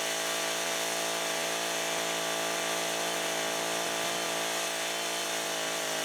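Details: Husqvarna 562XP AutoTune chainsaw, long unused, cutting under load after 30-40 seconds of part-throttle self-tuning, cold fuel and oil around 15 degrees: high, steady scream holding pitch through the cut without bogging or surging; healthy, well-tuned saw.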